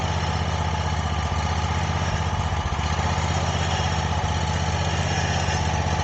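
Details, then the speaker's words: Wright Stander ZK single-cylinder engine after the stripped, broken engine bolt repair and exhaust reattachment, started with a little choke: a steady, even chug of about four beats a second with no knock, shake or exhaust rattle. Idle is normal. "well that sounds a lot better than it used to and the um and the exhaust is completely fixed now"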